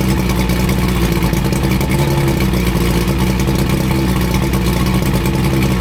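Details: 85 hp Evinrude outboard on a water hose after new head gaskets, new spark plugs and tightened hose clamps, after earlier overheating: runs smooth and steady at fast idle with an even drone and no misses or knocks; normal running.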